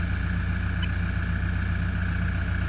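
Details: 2006 Toyota Prado 120 diesel, just under 200,000 km, owner thinks it's noisy, injectors done not long ago: cold idle with smooth regular low throb, no knock or miss; cold engine load readings higher but falling, no injector issues.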